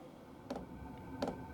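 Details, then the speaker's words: Cheap eBay diesel heater for a shed/workshop, about three to four minutes after start: sharp, evenly spaced clicks about every 0.7 s as the fuel pump ticks normally feeding fuel. "right that's been about three or four minutes you can hear the pump clicking now"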